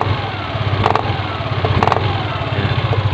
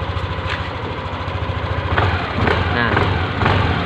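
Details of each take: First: Yamaha Aerox scooter on its center stand, throttle blipped slowly: steady idle with sharp clacking ("pletok") about once a second from the CVT area when accelerating off idle; worn CVT bushing clicking. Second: Yamaha Aerox after repair of a clicking "cetok" noise in the CVT area on initial throttle: the engine blips smoothly about twice a second with no clicking or knocking from the belt drive, and the CVT now sounds normal.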